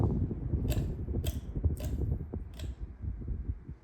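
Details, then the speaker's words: Quorum QXL ceiling fan: low steady motor hum with scattered light ticks at no steady rate. The fan wobbles, its motor is audible, and it squeaks loudly when reversed; wobble and motor noise. "It makes the loudest squeaky noise in the house. Sure. If you can hear the motor. This fan wobbles."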